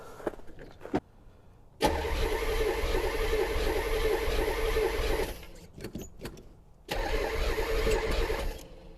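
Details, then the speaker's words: 1984 Chevrolet C4 Corvette after a week of work including a water pump, cranking steadily in two long bursts at about three and a half beats a second without catching; lots of fuel present, owner suspects timing off, bad gas or unconnected vacuum lines. "oh maybe my timing is really off feels like it wants to run doesn't it there is so much fuel in there though"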